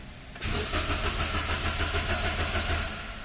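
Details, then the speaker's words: 2016 Toyota Wigo with manual gearbox, not running for a month: the starter cranks evenly for about three seconds and never catches. The scan shows no crankshaft position sensor signal; sensor or damaged reluctor teeth suspected. "isa sa palatandaan diyan ayaw umangat yung cranks sensor ayaw pumitik ito yan Ayaw pumitik"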